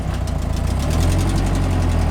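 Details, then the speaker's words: Turbocharged SR20 drift car with turbo exhaust manifold broken in half: rough lumpy idle with rapid puffing tick, sounds like a tractor and barely builds boost; cracked manifold leaking, to be replaced with new ISR manifold and gaskets. "So the car barely builds boost and it sounds like a tractor. It's pretty bad."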